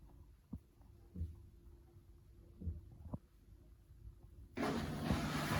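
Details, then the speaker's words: Bosch washing machine that won't spin, spin cycle selected, motor suspected faulty; faint steady hum for several seconds, then water rushes out as the drain pump empties normally before spin. "Evet suyunu boşaltmaya başladı suyu bitmeden sıkma işlemine geçmez"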